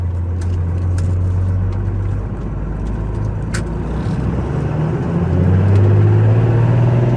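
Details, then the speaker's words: 1994 Dodge Ram 2500 4x4 with a 12-valve 5.9 Cummins diesel, 122k miles, driven uphill through the 5-speed manual gears: deep, steady drone climbing smoothly under load with no knocks or grinding; healthy engine. "We'll take off and head up the hill so we can hear the 12 valve 5.9 run, as well as put this 5-speed manual through all the gears so you can hear for yourself how there's no issues with anything at all."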